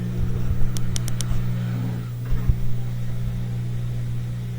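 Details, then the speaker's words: LG washer with LE error during spin/drain; low motor hum with dull thumps and ticks, drum shakes but cannot rotate properly; suspected motor Hall/rotor sensor or its wiring, replaced as the fix. "คุณสามารถเห็นชนิดของการสั่นเมื่อมอเตอร์ทำงานแต่ไม่มีการหมุนมันพยายามที่จะไปทางด้านหลัง"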